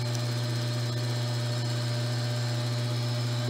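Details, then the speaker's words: Alternator on a homemade test bench, belt-driven by a motor, battery half discharged: pilot lamp lit then went off, load came on and sound changed as charging began; steady even hum, no knocks or whine; normal alternator charging. "acendeu e apagou ... ele pesou ... mudou o barulho e começou a"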